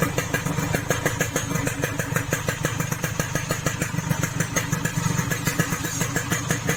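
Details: Yamaha RX King two-stroke idling after reboring to 175 oversize piston, replacing the shaved piston that caused a rough rattling noise: even, crisp regular pops with no rattle or knock; noticeably smoother, normal idle.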